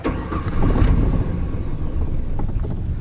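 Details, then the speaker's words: Petrol pickup truck at idle: very low, lumpy, uneven rumble that shakes and nearly stalls, revving smoothly only on throttle; suspected dirty idle air control valve stuck closed and starving the engine of air (idle should be around 800 rpm). "and as you can see the idle is incredibly low if you press on the gas it revs no problem and feels nice and smooth but once you let go it drops down the engine shakes and it almost stalls"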